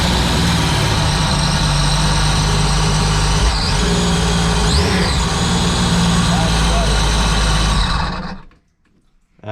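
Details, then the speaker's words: 2009 Sea-Doo GTX supercharged, bought with reportedly locked-up engine, after replacing one dead fuel injector, on land: strong steady running note for about eight seconds, no misfire or stumble, then clean shutdown; sounds a lot better. "sounds a lot better."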